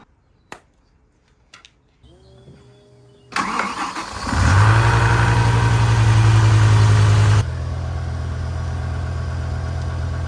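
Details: BMW V10 M5, just after rod bearing service: cranks, catches and idles with an uneven low beat, a cylinder dropping out; the misfire followed the swapped coil to cylinder 7, confirming a faulty ignition coil, later replaced.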